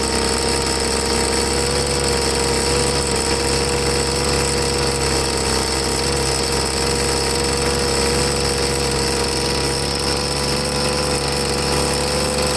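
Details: Troy-Bilt two-stroke leaf blower after carburetor cleaning, started on half choke: a fairly steady but ragged, labouring buzz, running rough. The tank was out of gas. After refuelling and a slight carb tweak it ran good.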